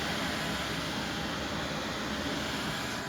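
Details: Newly installed diesel heater in a side-by-side shop, running on high via remote: even, steady whoosh of fan and burner with no pulsing, popping or surging; healthy, putting out very hot air.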